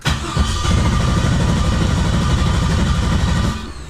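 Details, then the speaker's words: Quad-turbo Audi S4 on a new lightweight Antigravity battery starting at 13 V: a quick, even starter whir for about three seconds with no dragging. It cranks much faster than the old, possibly worn-out, Optima battery; normal. "This thing spins the engine so fast. I think my old battery is like really old, or this thing just cranks the engine really fast."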